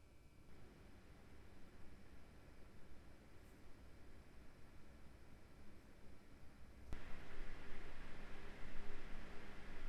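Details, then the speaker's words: MSI RTX 3080 Suprim X 12GB under gaming load in silent mode, not gaming mode, around 76°C max: soft steady airy fan hiss with faint low hum, fans around 1350 rpm; listening for fan noise and coil whine. "ama ben sessizliği önemseyen biri olarak ile de Gaming modunu açma gereği hissetmedim şimdi canlı canlı fan sesini ve bobin sırasını dinleyelim"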